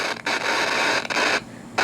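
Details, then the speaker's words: Carillon/Hudson's Bay Company SR670 clock radio: loud rough crackle with dropouts while turning the knob; scratchy volume potentiometer. "got a scratchy volume yeah it's got a scratchy volume control hope you could hear that"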